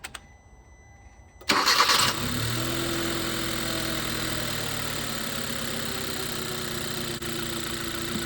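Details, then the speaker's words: 2012 Hyundai Accent 1.6L, codes P2187 and P2191, after SeaFoam treatment and electronic throttle body cleaning: catches after a short crank and settles into a steady, even idle with only faint leftover shake; the earlier rough, chugging idle is much improved. "Well, I think that looks better. Before you could see the engine shaking a lot. Before just you can still see a little bit now."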